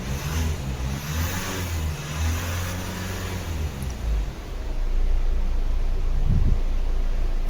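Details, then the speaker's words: Hyundai/Kia Sportage restarted after charging: fires up with an even rumble and revs cleanly. Normal start, battery now charged. "अभी बंद कर दिया हूं start करके देखते हैं स्टार्ट हो गया है बैटरी भी चार्ज हो गया"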